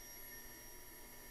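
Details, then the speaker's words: Fuel pump on a DIY budget fuel injector test bench running mineral spirits, regulator set near 40 psi: faint steady high-pitched whine at even pitch, no surging or stutter; pressure returns to 40 after dumps; normal operation. "and see it's at 40 we'll dump some fluid goes to 40 we'll dump fluid again goes to 40"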